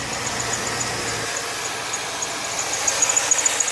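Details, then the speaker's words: GM truck with an old, used original serpentine belt: high, piercing squeal over idle turning to quick chirps; belt squeak, water-spray test planned to separate misalignment, bad pulley or bearing, or bad belt. "So I'm assuming this is the noise that they said they were hearing that I couldn't hear before because maybe the truck was warm."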